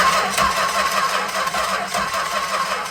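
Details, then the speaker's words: 1964 Chrysler Newport, sitting 2.5 years: starter churns engine at steady, slightly uneven rhythm, no firing or catching; cranks without starting because no spark reaches the plugs. "Okay, yeah, we're not actually getting spark to the plugs."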